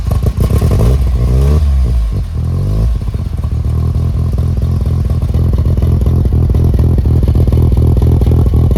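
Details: Mazda RX7 FC3S fresh street-ported rotary, early start with exhaust and silencer fitted (street setup): low even rotary burble with steady pulses and a few light revs settling back smoothly, runs clean and quiet; smoke clearing; normal idle.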